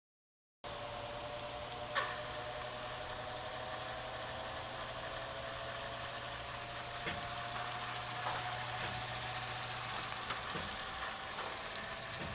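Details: Sofia 15 kg spin dryer (centrifuge), noise after agitating clothes: steady motor hum with faint irregular rattle and scattered ticks; cause unclear. Motor noise.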